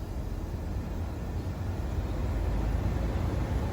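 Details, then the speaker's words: Nissan Sentra heater blower motor just replaced without dash removal, key on, stepping fan from low to high: smooth, even rush of air building with speed, no rubbing, ticking or whine; blower healthy after repair. "just turn the key on and yeah it's working all the speed from low to"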